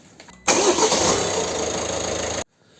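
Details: Citroën C4 1.5 BlueHDi diesel (8 mm chain) started right after an oil and filter change with about 3 L of Total Quartz, to prime the oil system and build filter pressure; it cranks, catches at once and runs evenly about two seconds before shutting off, a clean, healthy start.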